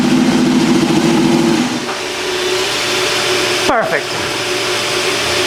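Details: Custom land-speed motorcycle with rebuilt turbo Ducati 998cc engine, after a throttle fix cured binding: quick run-up with clean rise and even fall back, no hanging revs; throttle returns freely, engine sounds healthy.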